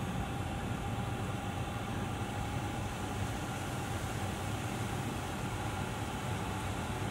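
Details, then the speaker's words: VW California Ocean diesel parking heater at start-up: steady roaring whoosh with faint high whistle, jet-like, louder only during initial warm-up; normal start-up. "sounds a bit like a jet mg all you ever look well listen to it that's only initial warm or paternally doesn't stay like that to stay noise"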